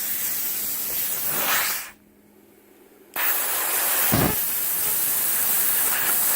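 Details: CUT50 plasma cutter, earth lead from a welder fitted: loud rough hissing roar that cuts out and restarts unevenly; erratic arc that melts metal and consumables, cuts messy and inconsistent rather than clean.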